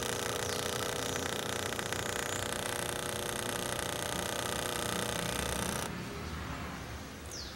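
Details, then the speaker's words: Mini air-conditioner condensate pump after a vibration-damping fix: steady, dense mechanical buzz with fast even pulsing, then a sudden drop in level; noise reduced but the pump is still noisy. "se puede escuchar el ruido realmente el ruido disminuyó bastante pero de todas maneras la bombita sigue siendo ruidosa"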